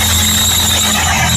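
A sharp, steady high-pitched squeal rides over the running engine without letting up; the drive belt is slipping and squealing.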